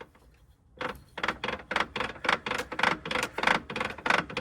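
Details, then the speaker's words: NP242 transfer case removed from a 2000 Jeep XJ, turned by hand: rough gritty grinding in quick bursts, about three a second, internal grinding likely the problem, unlike the smooth replacement unit. "yeah it's not supposed to sound like that that might be our problem"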